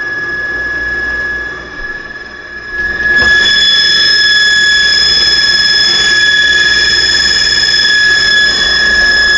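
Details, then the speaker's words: Running refrigerator making a loud, steady, piercing high-pitched whistle-like squeal that woke the occupant; still unfixed a week after it was reported to the resident manager. "and this thing is making this kind of noise that don't woke me up"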